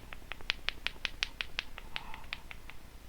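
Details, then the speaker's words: Rattle inside a suspect capacitor removed from a buzzing Behringer B300 powered PA speaker: rapid sharp ticks, about three per second, on each shake; owner suspects a fake cap with a smaller salvaged capacitor inside. "I don't know if you'll be able to hear this but if I shake the cap you can hear something rattling"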